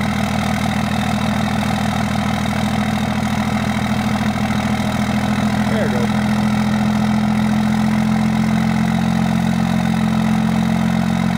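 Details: 2002 Dodge Ram 2500HO Cummins 24-valve diesel cold start on a cold day: a couple of tries, then even clatter stepping up into the normal 3-cylinder high idle warm-up mode.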